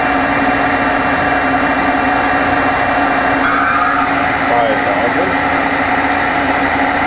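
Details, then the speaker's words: 1986 Okuma & Howa Millac 4VA 3-axis CNC vertical machining center (CAT-40, 60–6,000 rpm in two gear steps), spindle run in MDI at 1,000 rpm then changing gears for 2,000–4,000 rpm; smooth, quiet, steady tone rising with speed, healthy spindle. "i'm sure it's magnified what uh spindle noise you can hear but it's nice and quiet"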